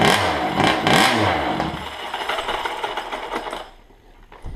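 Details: Two 5iveT two-stroke engines only run at about half throttle and quit when it's released despite new diaphragms, carbs, fuel, lines, filter and pressure test: small two-stroke buzzes through sharp rev sweeps, then sags and dies without holding idle.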